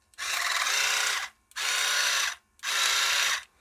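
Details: Dental Mate water flosser pump after fixing its piston knock by cleaning and opening the pressure-release passage: three short bursts of steady high buzzing with clean starts and stops and no knock; pump healthy.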